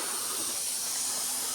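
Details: Volvo truck and trailer during preventive maintenance and inspection: steady, high, airy hiss with no rumble beneath; compressed air suspected to be escaping somewhere in the lines, not confirmed.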